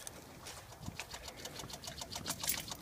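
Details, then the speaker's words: Car with remote auto-starter, after auto-start attempt: faint, quick, uneven ticking about three or four times a second from the fuse box; stops with key in ignition, engine won't crank; relay chatter of unknown cause. "and there's a clicking noise coming from the fuse panel and the fuse box in the car and no idea what it's doing or what's closing the noise"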